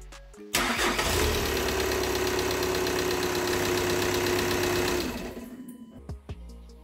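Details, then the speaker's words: VW T5 2.5 TDI just after turbocharger replacement and oil priming by cranking with the rail pressure sensor unplugged, now reconnected. The diesel catches instantly and holds a steady idle; normal start and idle. "jetzt ist der Turbolader auf jeden Fall geschmiert worden und jetzt kann das Fahrzeug starten"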